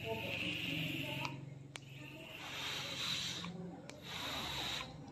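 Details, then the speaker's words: Vapor Storm pod vape, flame kit with blinking light and not firing, after replacing the coil and filling with mango liquid: short hissing sizzle bursts each time it fires; normal coil firing. "Sudah bisa membakar nih suaranya."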